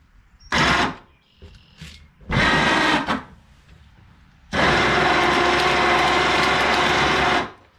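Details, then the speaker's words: Yard-sale ATV winch, long stored, running with no load: short bursts then a steady run of harsh, loud whirring and gear chatter; owner suspects the gear train lacks grease and plans to re-grease it. "that sounds awful loud, doesn't it? I think I need to take this gear thing apart and re-grease it."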